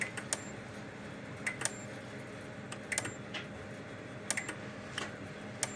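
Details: Kencove KF13000 dual-output remote-capable fence energizer under test after repair with a tester across output, reading about 12.5 kV on the tester (probably nine to ten thousand volts): sharp even snap about every 1.3 seconds with faint double tick, no hum or dropouts; normal output.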